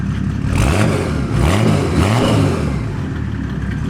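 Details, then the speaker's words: OM606 diesel in a Land Rover build, first start after fitting injection pump and turbo, mic near exhaust: three quick throttle blips, pitch rising and dropping cleanly over even diesel clatter; healthy, responsive engine. "She's a quick revving little monster, ain't she? Sure is. That is fast. That's super responsive."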